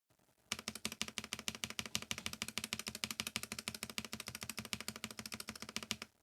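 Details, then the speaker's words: Novelkeys NK87 Entry Edition, polycarbonate plate, lubed Gateron KS9 switches, NicePBT keycaps, stock stabilizers: clacky keystrokes with hollow rattle on big keys, spacebar and right shift worst; stock stabs not well lubricated. "okay so my opinion is all of them are bad [Music] but there are some that are noticeably worse than others such as the space bar and the right shift these two are the worst offenders"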